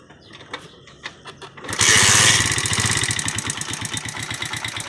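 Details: 70cc motorcycle engine before tappet adjustment: after a few kicks it catches and settles into a fast, loud ticking clatter over the idle; loose tappet clearance.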